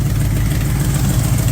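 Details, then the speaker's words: Carbureted engine at idle, mixture screws set by ear to about one turn out: deep lumpy idle with rapid puffing from exhaust header leak, header tube resting against lower A-frame mount. "it's sitting here idle and I'm sure you can hear that nasty exhaust leak"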